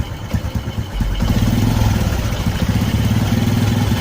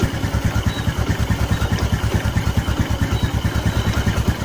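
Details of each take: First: Carbureted Honda Karisma motorcycle with new spark plugs, complaint of stumbling, high fuel use and no steady idle: uneven, lumpy idle, exhaust smells of unburnt petrol. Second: Karisma carbureted motorcycle after repair of the rich-running fault, idle screw turned down: even, steady idle with regular exhaust pulses and no stumbling; fuel and combustion now normal.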